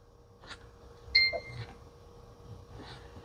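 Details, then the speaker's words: Xbox One 1540 console on the test station at power-up: a short two-tone ding with faint drive stirring, meaning a disc is still stuck in the drive, which doesn't work. Optical drive chime indicating a disc inside. "this has a disc in it do you hear that it had a"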